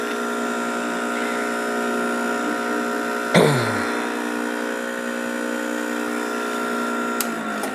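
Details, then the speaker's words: Refrigerant pump on 1988 Jeep XJ AC work, after recovering refrigerant into an old propane bottle, pulling vacuum through the gauge set on the compressor: constant electric hum, steady pitch, one sharp clack midway; running normally. "That's a freon pump, and what it's doing is it's pulling a vacuum on the gauge set, which is pulling the vacuum on the AC compressor."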